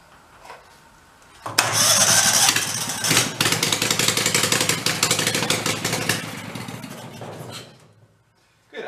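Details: Used Kohler Command engine on the bench: catches on a shot of starting fluid, runs rough about six seconds, then fades and dies; fuel starvation from a clogged carburetor jet.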